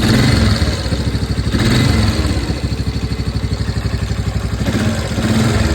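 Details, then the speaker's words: 1992 Yamaha Big Bear 350 ATV, 707 miles on trip meter, warm idle: quick light top-end clatter ticking with idle; valves later checked in spec, cam chain tension good, so likely normal Yamaha tick. "when she's nice and warm it develops like a clattering out here on the top end so we're going to see if it's if it needs a valve adjustment"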